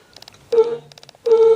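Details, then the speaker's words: 1966 Ford Thunderbird horns test after reconnecting dangling wires: two short, thin, buzzy single-tone honks with no second note, so only one of the two horns works. A bad ground is suspected. "yeah one horn's working all right what that means is we probably have another bad ground"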